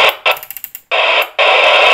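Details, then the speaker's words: President Grant II CB receiving on 27MHz (27/81 allocation), before a mains power-off test of the flat: a loud steady hiss with short choppy bursts before settling, showing a high noise floor that rises further into the band; source unknown. "now you'll be aware I've got quite a high noise floor on 27 Megs it just goes up the further into that band it"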